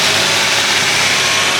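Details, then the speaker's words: Wrecked 2010 Dodge Charger bought at salvage auction, first start on a battery pack: loud, steady engine note, no knocks, misses or rattles; normal running engine. "sound pretty good don't it"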